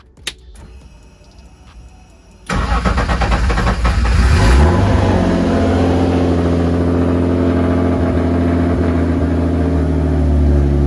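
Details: BMW E36 M50 on Link ECU with turbo, exhaust just refitted, with a no-start bang problem tied to the crank sensor, eventually fixed by a third OEM sensor: cranks briefly, catches cleanly, flares and settles to a smooth steady idle.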